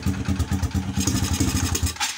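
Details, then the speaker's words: Honda XRM motorcycle with weak charging, idling with the battery disconnected: uneven, thumping, skipping idle. The rectifier regulator is being replaced with a full-wave unit. Engine misfire. "Ayan palyado siya kasi tanggal yung battery dapat normal yan"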